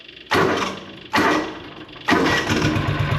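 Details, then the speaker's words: John Deere Gator 6X4 sitting since 2014, revived auction buy, needs running more: fires and fades twice, catches on the third try and holds an even idle; solid engine running fine. "but that's a that's a solid engine like super solid it"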